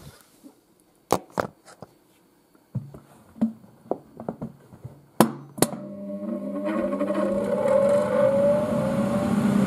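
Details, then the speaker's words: 1980s Tefal Spinmaster spin dryer (Calor, 2,200rpm max): a few knocks and clunks, then a fast, smooth rising hum that settles into an even whir, and the powerful spin brake stops it quickly. Normal running. "it accelerates pretty fast it does you can see there's wind coming out the side of it blowing the curtains of course the powerful spin break stops very quickly"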